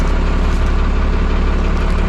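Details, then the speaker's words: 1991 Freightliner FL70 tow truck, believed 5.9 12-valve Cummins diesel, sat about 15–20 years; started right up like a champ: loud deep diesel idle, even regular beat, no knocks or misses, good oil pressure; normal idle. "see if it starts starts right up like a champ"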